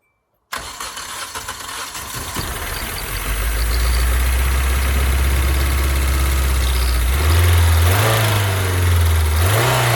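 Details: 1999 Hyundai Elantra after a timing belt replacement for a no-start caused by belt failure: it catches within a second of cranking, settles to a smooth steady idle, and takes two clean throttle blips without stumbling. Normal start and idle.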